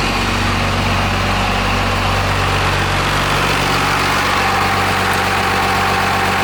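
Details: 12-valve Cummins diesel swapped into a Dodge B3500 Ram van, first start on temporary 2x4 motor mounts: steady, even clatter with deep smooth drone, no knocks or misses; idles cleanly like a sewing machine, though not charging.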